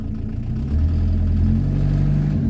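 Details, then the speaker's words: Diesel four-cylinder after injection pump synchronisation: rises smoothly from idle into high revs with a clean, deep rumble and no knocks. Owner says it sounds almost like a petrol engine. Engine is healthy. "ah le bruit il est magnifique quand j'accélère quand je suis dans les tours franchement on dirait un essence on dirait pas un diesel c'est impressionnant le bruit que ça fait"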